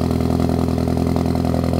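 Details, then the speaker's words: Ford Focus ST with P0301 cylinder 1 misfire, check engine light, oil-filled spark plug, owner believes piston ring lands failed: idle hunts and stumbles with uneven lumpy beat under steady drone. "you're gonna get a big check engine light see and the idle process on the car is not the best as you guys can hear"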